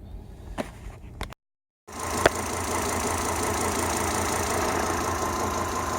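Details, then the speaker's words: Volvo XC90 T5 at idle with code P0300 (random cylinder misfire): after a brief cut, an uneven, slightly lumpy idle with occasional stumbles. "I got a code P0300, and that's random cylinder misfire."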